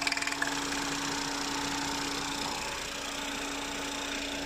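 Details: Idle popping from open oil filler cap on 2017 Ford Fiesta 1.0L EcoBoost: quick even popping about three per second over steady hum; clutch in only slows idle, runs and drives fine. Dealer confirmed normal, same on brand-new 1.0 EcoBoost.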